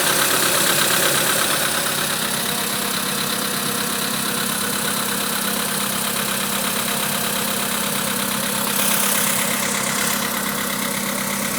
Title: Стук двигателя поло седан спустя 1000 км после замены поршневой